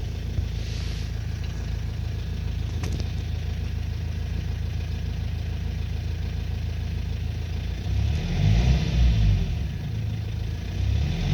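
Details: 2005 Renault Trafic 1.9 dCi diesel van idling then revved: uneven knock under the diesel clatter grows with revs, source not pinned down; owner asks what the extraneous engine knock is, cause not confirmed.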